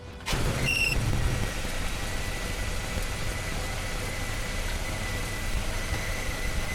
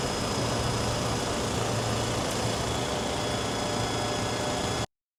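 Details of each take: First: 1997 Toyota 4Runner hot at idle: thin, steady high whistle over the engine, a suspected vacuum leak; owner wondered about the silicone vacuum lines. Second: 1997 Toyota 4Runner after epoxying the failed aftermarket gasket into place: smooth, even idle with no whistle or hiss from the intake; leak sealed and running right.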